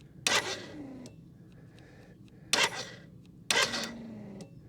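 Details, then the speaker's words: BMW K75 cafe racer project, first fuel pump prime before cranking: three sharp buzzing bursts each trailing into a falling whir as pressure builds; pump sounds rough, possibly unhealthy. "doesn't sound very healthy actually the pump um so in theory it might start"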